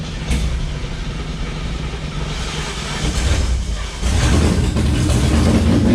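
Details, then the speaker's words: Mustang with built engine, first start after transmission and clutch repair and clutch bleed, exhaust not fitted: loud, deep open-pipe rumble idling steadily then climbing firmly with revs; runs and pulls normally. "All right, this is the first start with the trans and clutch all fixed, hopefully. We're gonna test it out and see."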